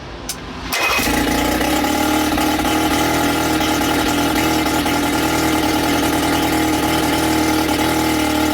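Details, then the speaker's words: Sea King 6 outboard (VWB19074A) during repair, after priming and choking by hand: starts with a catch into a busy, slightly uneven buzzing run, wavering beat; owner thinks slightly too rich, then it died with fuel bowl emptying. "It's pretty good. Let's see if it's going A little bit too rich I think."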